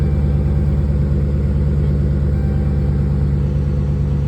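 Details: Dodge Charger idling smoothly after repair of P0340 camshaft position sensor A fault: sensor replaced; previously slow to start, now fires right up; oil pressure about 55 psi; deep steady even idle, no misses.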